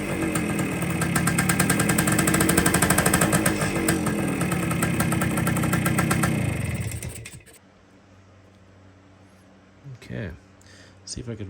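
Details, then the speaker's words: 1973 Kawasaki F7 175 two-stroke barn find, close to the carb: fast, fairly even idle holds about seven seconds then dies; air leak at the loose-fitting side cover spoils the idle. "It actually idles. You hold up against the side cover. That's where the air leak is."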